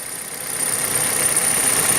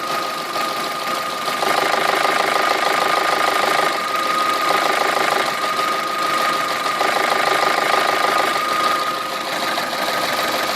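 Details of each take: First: Petrol engine on some Kia/Hyundai at idle: light fast dry chatter from the fuel injectors (electromagnetic valves), normal and easily mistaken for lifters or timing chain. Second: Idling petrol engine with a quick, steady knock from a worn cam phaser, where worn vanes and stator chambers make the phaser start knocking.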